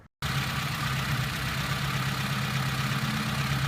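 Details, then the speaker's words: Suzuki with battery not holding charge and loose fan belt, engine running: faint rough whirr over steady idle; alternator front bearing shot, spindle flops up and down, alternator to be removed. "yep I can hear the front bearing in the alternator is shot okay alternator's got to come out"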